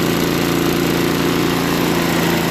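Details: Craftsman 524 Trac Drive snowblower after quick carb clean (float bowl and jet nut cleaned), previously ran only on 75% to full choke; now idles steadily with an even buzz, no surging, warming up, electric start works; running normally.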